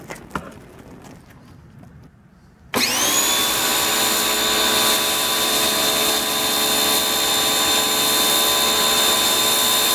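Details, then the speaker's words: Ryobi 1600 PSI 1.2 GPM electric pressure washer, third use, turbo nozzle on after priming without nozzle; silence then steady high whine with faint wavering as pump loses prime. "Was losing its prime there. You hear it? That wasn't as... It does it even worse."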